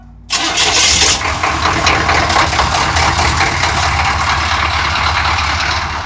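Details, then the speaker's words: Suburban 6.2 diesel, not started in two weeks, cold crank: short crank, then catches immediately and settles into a steady, even idle with clean diesel clatter; healthy cold start. "this thing hasn't started in two weeks it'll fire right up low plugs"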